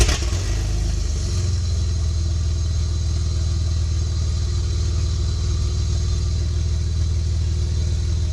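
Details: Project Bluebird running after fitting almost-new headers with gaskets and a freer-flowing, lighter exhaust: strong, deep, steady note with a throaty low rumble from the start, even and smooth; a healthy engine breathing through the new headers.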